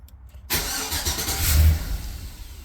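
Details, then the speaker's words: Chevrolet Silverado, ran fine then ABS, airbag and charging lights came on, gauges, interior lights and windows dead: starter cranks about two seconds but engine won't start; modules drop offline, fault traced to a faulty radio adapter. "Yeah, as you can see, now it doesn't want to start. So yeah, that's not good."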